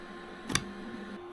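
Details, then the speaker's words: Anycubic Photon Mono 4 Ultra resin printer mid-print: one short soft snap over a quiet background hum as the layer peels off the film sheet; the print is stuck to the build plate, normal and nothing to worry about. "But yeah, you can hear that pulling on the sheet, which is a good sign. like I said. So, nothing to worry about if you hear that when you're printing."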